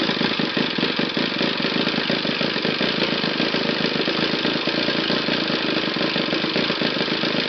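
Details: Initial bench test of a used, eBay-bought Saito FA60T flat-twin model engine. It holds a steady speed with a fast, even buzzing firing and no misses or sputtering. It tunes cleanly from lows to highest RPM, so it runs normally.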